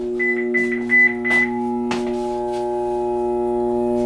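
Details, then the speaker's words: 26-year-old Trane furnace blower motor: a loud, steady buzzing hum and whirring as the blades try to spin but barely move; the motor or its capacitor is suspected. "you may be able to hear that large worring noise the uh blades are trying to spin"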